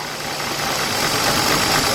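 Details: 2004 Nissan Maxima 3.5 V6 petrol with P0306 cylinder 6 misfire, coils disconnected during diagnosis: idles unevenly and shakes, running on only four cylinders with two not firing.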